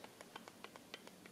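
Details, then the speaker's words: Unicycle ball-bearing pedal spun by hand with bearing tension adjusted too slack: quiet, irregular light ticking about six to eight times a second. It spins freely, but the loose bearings pass over each other and cam the pedal up. "slack you can actually hear the movement now when you spin it it spins really well but the problem here is that the bearings are so slack they laterally pass on top of each other and cam the pedal up"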